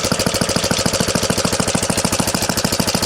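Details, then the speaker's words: 1970 Rupp Scrambler single-cylinder idling with the clutch and brake removed: an even, clean beat of about three pulses per second with no knock, confirming the earlier idle knock was in the old Max Torque clutch. "Well, this makes me feel better because there's no knock now. It's in the clutch."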